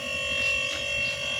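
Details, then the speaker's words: Single-door fridge that lit but didn't cool, after rewiring with three wires: steady even hum with faint high whine, no clicking or cycling; compressor running normally, freezer cold and forming ice. "Setelah kita colok nih, kompresornya menyala seperti biasa normal ya, tidak ada masalah ya."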